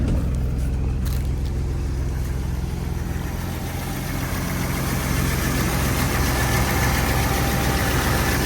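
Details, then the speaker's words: 1981 Chevy C10 V8, cold start right after a spark plug change (front-most plug had wet oil): idling on its own with no throttle, steady even low rumble, no misses or knocks; idle higher than before; normal idle. "Now it's idling on its own. I don't have my foot on the gas or anything."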